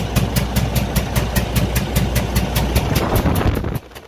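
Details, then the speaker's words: Cummins ISX15 diesel: heavy running with an uneven, hollow puffing knock about two to three a second; compression leak from a blown cylinder head gasket with damaged, broken head bolts, needing a major overhaul. "this engine was making a very unusual sound as you can hear right now"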